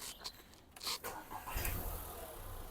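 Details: 2010 VW Polo 1.2 petrol three-cylinder, after a timing chain replacement for fault P0341 and an oil refill: the engine catches after a brief crank and settles into a steady, even idle with no chain rattle or slap; healthy.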